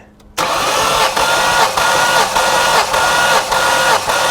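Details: Engine cranked with the fuel pump relay pulled during a compression test, reading 180 to 190 psi per cylinder. Starter whirs with even pulses about every half second, turning over without firing; normal cranking with healthy compression.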